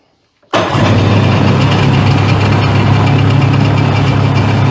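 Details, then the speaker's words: 1998 Sea-Doo GTS that would not start, second crank after pulling the carb over suspected check valves: catches at once and settles into a steady, even low idle, takes throttle, though owner feels something still doesn't sound right. "it didn't cranks and it's running and it's taking throttle but it's there's something about it that does doesn't sound right"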